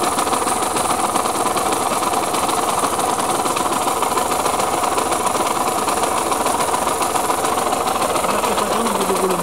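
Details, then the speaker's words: KMX two-stroke motorcycle, clean bike being restored, recorded on first start before repair: fast, busy two-stroke rattle with dry rumbling undertone, holding steady; engine bearing noise, crank bearings sound worn. "Et après réparation, on verra ce que ça donne. Bruit de roulement."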